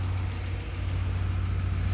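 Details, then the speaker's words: 2008 Ford Explorer 4.6 V8 idling in the cold with a constant cylinder seven misfire: uneven rumble from the dead cylinder; compression and coil firing fine, pigtails previously replaced with generic wiring. "okay okay with mr david say hi david we're out here in the cold um i got an 08 ford explorer 4.6 with a misfire on cylinder seven"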